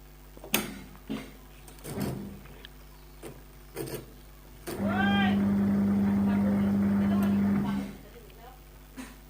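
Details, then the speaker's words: Old analog Samsung washing machine, previously dead with neither washer nor spinner motor working, now running with a separately connected capacitor: the washer motor gives a steady low hum for about three seconds, then stops, running normally. "देखो दोस्तों, machine washer side हम अब खुल गए हैं। मैंने यह कर लिया है और यहाँ वॉशर मोटर चल रही है।"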